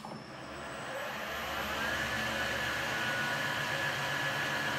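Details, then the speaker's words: PM-1440GT lathe with a new Marathon E470 3 hp 230 V motor on a Hitachi WJ200-022SF VFD, replacing the stock motor that cogged and rattled at low rpm: low-gear run and reverse, smooth hum, faint drive whine, no cogging or rattle; normal motor run. "not even a single cogging sound where beats the gears against each other"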